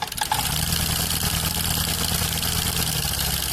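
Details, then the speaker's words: Honda Activa 6G scooter at idle: fast, sharp, heavy metallic tappet ticking that returns despite repeated tappet adjustment; caused by both worn rocker arm bearings. "ये देख सकते हैं आप, इसके अंदर टैपेड noise आ रही है और वो भी काफ़ी ज़्यादा आ रही है। तो इसका जो रीज़न है वो इसके जो रॉकर है उनकी ये जो दो बेरिंगें आती है वो दोनों ख़राब हो गई है।"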